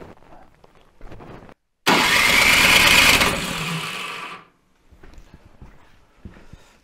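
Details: Toro Power Max 726 OE snowblower, unused about two years, good spark and smell of fuel, owner wonders about compression: about two and a half seconds of loud raspy cranking without firing; crank, no start.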